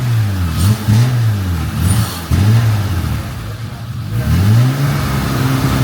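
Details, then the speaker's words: J32A2 (TL Type S) J-swapped Acura NSX after exhaust install: revs swing up and down unevenly, surging; fuel pump no longer audible, owner suspects bad fuel pump, brake cleaner made it bump, no fuel pressure gauge fitted. "I hit it with some brake clean it did bump off you can hear it trying to Surge I do not have fuel pressure gauge set up on there"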